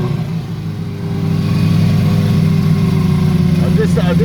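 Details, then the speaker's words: Honda CB350F restoration, carbs not yet tuned, warming up: low, lumpy, wandering idle that slowly drifts down; sounds rich with unburned fuel, and a vacuum leak is suspected. "but otherwise sounds a bit rich to me actually they're getting a bit of unburned fuel coming out and it sounds like there's a vacuum leak too"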